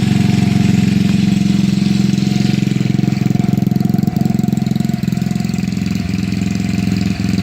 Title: Ruckus gy6 150cc had bad starter solenoid fixed now and starts fine